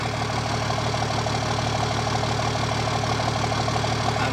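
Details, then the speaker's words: Toyota FJ60 Land Cruiser with a swapped turbo diesel, idling cold, heard from under the popped hood: a steady, even diesel clatter with no misses or knocks; healthy, and it burns clean. "so there you have it we've popped the hood here man listen to that listen to that diesel just purr"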